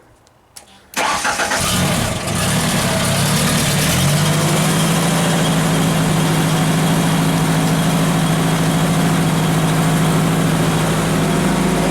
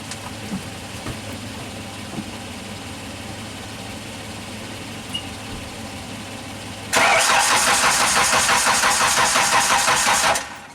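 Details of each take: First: Genie with a crank no-start, after keep-alive/computer power was restored on the red-green wire and the fuel pump relay was powered: a couple of clicks, then the engine fires within a second and settles into a steady, even idle. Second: Genie construction lift engine, crank no-start, cranked with spark tester fitted: about three cranking pulses a second that never catch; no spark seen, crank sensor suspected next.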